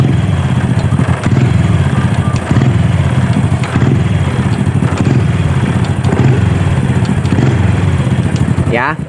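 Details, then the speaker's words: Honda Supra Fit motorcycle, hard gear shifting, weak power and slipping; when throttle is released and rpm drops, a dull tak-tak-tak clatter about once a second from the right-side case at idle, suspected worn, bent clutch parts. "saat turun RPM saat kita turunkan gas di ada suara tak tak tak bisa teman-teman dengarkan nih"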